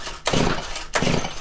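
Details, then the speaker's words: Stihl FC110 4-MIX four-stroke trimmer before repair: two quick pull-start strokes whir freely with no compression bump against the rope, little to no compression. "and i discovered there's little to no compression so we're gonna see what the outcome of this is"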